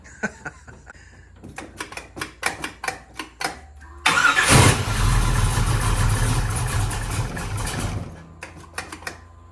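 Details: Trans Am with a 400 small-block Chevy and lumpy cam that barely stays running: slow cranking for about four seconds, then it catches and runs lumpy before sagging; vacuum advance on the wrong carburetor port retards the timing at idle.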